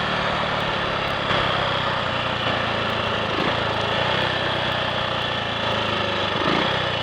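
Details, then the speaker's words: Triumph Sports Cub single-cylinder at road speed with wind rush, after cleaning fine rust from the fuel tank and fitting a protruded-electrode plug: even beat, no misses, stutters or cutting out, took full throttle well; slight 1/2–3/4-throttle hesitation, owner suspects crud on carb needle. "It's working. There we are. That didn't miss a beat."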